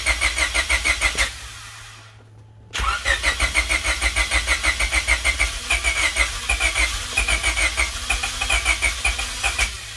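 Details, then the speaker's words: Honda Civic hatchback engine, first start in 10 years and run without coolant: steady cranking about three times a second, a pause, more cranking, then it finally catches and runs; long no-start of unknown cause, engine later judged junk. "it dang that was close [Music] it's on it's running holy crap after 10 years"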